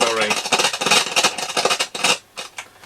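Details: Hacker Mini Herald RP17 radio in for overhaul, switches also sticky: irregular crackling and scratching bursts as the volume knob turns, fading when it stops; a scratchy, dirty volume control that needs cleaning.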